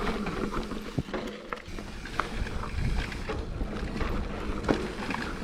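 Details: Mountain bike on a trail gives irregular sharp clacks and rattles as the chain bounces against a hard plastic chainstay protector with no foam damping; chain slap.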